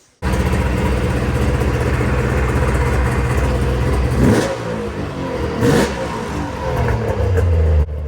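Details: Arctic Cat ZRT triple two-stroke snowmobile with new gas, now leaning out and running better: rough, low burble that sags and stumbles at idle; idle speed set too low, idle screws need turning up.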